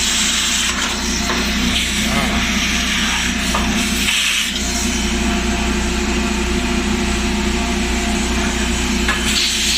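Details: Maytag dryer, recently opened for a thermal fuse check and full of dust. A steady drum roar with a dry, uneven scraping rub running through it: the blower fan is rubbing, clogged with lint and dust.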